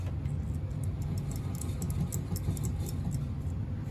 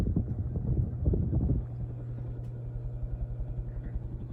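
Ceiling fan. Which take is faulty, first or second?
second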